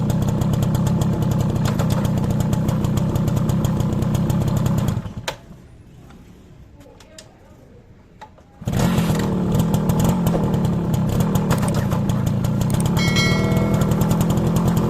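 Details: Motorcycle rear drum brake that was noisy after new shoes, now cleaned and with the springs lightly greased: the engine putters evenly at about four beats a second with no squeal or scrape, so the brake runs quiet.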